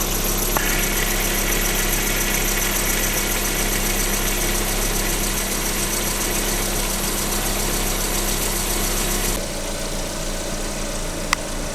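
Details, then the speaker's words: Lada 21127 engine, stethoscope on the water pump at steady idle: smooth hum with no grinding or bearing rumble, pump normal; the timing belt idler roller nearby squeaks slightly and is being replaced. "Эта помпа была, помпа нормально."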